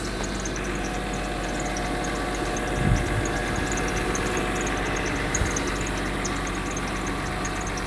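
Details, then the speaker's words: Mercedes W126 300SE, M103 3.0 L inline-six with a Voltarent conversion, idle raised slightly to about 900 rpm: even, steady idle with a smooth low hum, no knocks or misses; running cleanly, normal idle. "And man, this is this is awesomely good. You've got to love how calm that engine is."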